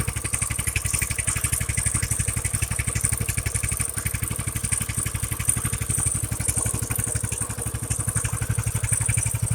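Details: Stock Coleman BT200X small single, after routine maintenance and fresh gas, owner troubleshooting unreliable starting and suspecting a plugged carb: quick, even putter at a steady beat with no misses or stumbles; starting and idling cleanly.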